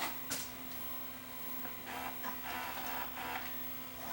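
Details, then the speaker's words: Sony SLV585 VCR after mechanism repair; previously ate tape in reverse search: even whirring motor hum with light ticks, no snagging or strain. Normal reverse search. "and unlike before when I put it into reverse search it's not going to eat my tape now because we fixed the problem that this machine had"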